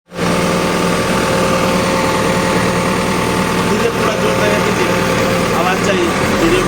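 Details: Cat hydraulic pump: a thin, constant whine rides over a steady diesel idle, an abnormal noise from a noisy hydraulic pump.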